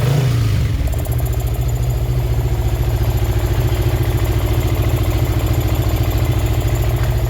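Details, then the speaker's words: Yamaha Karisma 125 with swapped Yamaha R15 V3 engine, after rocker arm repair and valve clearance reset to standard: even, steady idle with smooth low beat, previous sewing-machine ticking gone; normal idle. "senang banget akhirnya suara mesin Karisma ini bisa kembali ke suara"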